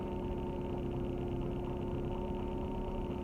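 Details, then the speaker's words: Cold morning start of a Nissan Sunny B13 under restoration with a repaired exhaust. Quiet, even hum at a steady idle with no ticks, rattles, surging or vibration; the cold engine runs smoothly. "but anyway like a cold start at the morning"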